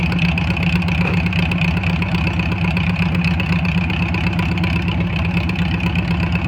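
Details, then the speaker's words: Air-cooled flat-four VW Beetle running with an even, steady putter and no misses after valve adjustment and timing advanced to 30 degrees; now running pretty good. "but uh i feel like it's running uh pretty good right now"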